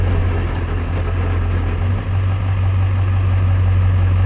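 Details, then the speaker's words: Ford 7.3 Powerstroke diesel truck with a loud bell housing noise: rattle in neutral that quiets in reverse and drive, leaving a deep, steady idle under gear load; owner suspects transmission issues, not confirmed. "that noise goes away that's neutral reverse quiets down again back to neutrals noisy and nasty again to drive it gets quiet so I think we've got transmission issues"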